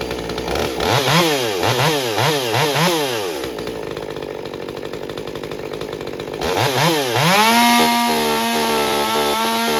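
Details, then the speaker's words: Stihl MS201TC chainsaw after performance work, fresh fuel and new fuel filter: quick throttle blips, then revs and holds a clean steady high-speed scream without stumbling; normal running, problem likely fuel filter not picking up fuel. "So, you know, nothing necessarily wrong with the fuel. I think it was more fuel filter related, that it just had a hard time picking up fuel."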